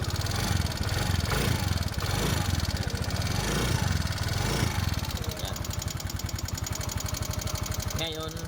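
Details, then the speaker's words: Yamaha Mio Soul i125 scooter at idle before teardown, with a ticking noise. A rapid, light tick of about four per second rides over the idle. Traced to a loose camshaft bearing that opened up tappet adjuster clearance. "hanapin natin yung lagatik yung lagatik ng motor Yan malatik po ito ang motor na ito sa parteng Dito"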